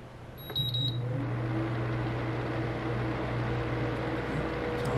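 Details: Vornado EVAP3 evaporative humidifier, new out of the box, first start: a brief beep, then the fan starts with a steady low hum and a faint tone above it, rougher than a new unit should sound; the unit was defective and replaced.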